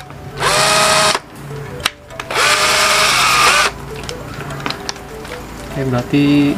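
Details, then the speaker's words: McCulloch 12V cordless drill, rated 285–850 rpm, bench-tested on a 12V battery before its pack is rebuilt with 2000mAh cells and a BMS; two short bursts of steady high whine spinning up and stopping cleanly, motor normal. "bornya normal tidak ada masalah"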